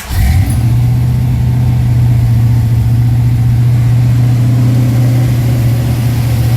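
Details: Cold start after a new Holley Sniper electric fuel pump was installed with a return line and dead-head regulator to fix low fuel pressure: catches quickly, settles into a strong even low drone with no stumbles; healthy cold idle.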